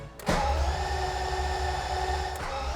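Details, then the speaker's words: 1991 BMW E31 850i, M70B54 V12, after two years of restoration, with oil added, first crank without firing: steady whirring starter crank with even low pulsing, turning over smoothly and building oil pressure; healthy crank. "we added oil and successfully cranked over the engine for the first time and built oil pressure."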